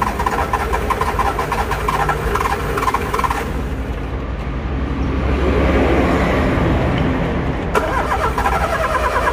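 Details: Car engine on key start: rapid uneven tec-tec ticking while the key is held; the engine turns but never catches. Starter clicking on crank, no start.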